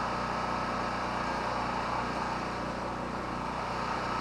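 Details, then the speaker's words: Portable petrol generator, unused about a month, fuel mostly a year old, just started on one pull: steady, even drone with no surging or hunting; runs clean, gas is good. "well she starts right up in a second and pull that kind of tells me the gas is good"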